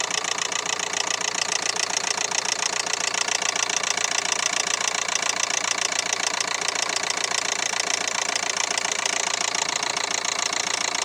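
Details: 2011 Renault Megane 3 with the K9K 834 1.5 dCi diesel at idle: a sharp, regular knock at about three and a half per second rides over the engine note. The timing belt has jumped one tooth.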